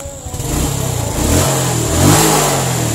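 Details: Suzuki Smash / Shogun SP 125 running without a battery after repair of lost ignition: the engine idles steadily, picks up cleanly on throttle blips and settles without misses, running normally.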